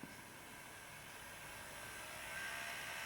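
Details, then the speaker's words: Bachmann 4CEP EMU model train before servicing: fine at low speed, but a thin high whir builds from about midway through 3/4 speed to max. Motor drive whirring; the owner suspects old grease, not worn or broken parts. "get that whirring noise. It's about 3/4 speed now. And that's up to max."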